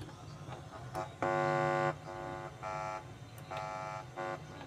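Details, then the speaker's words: Panasonic cassette player being fitted with an MP3 Bluetooth module: touching near the cassette-radio selector switch with a finger gives short bursts of buzzy mains hum from the speaker, locating the amplifier's audio input. "Jika speaker berdengung, itu berarti masalahnya ada pada input."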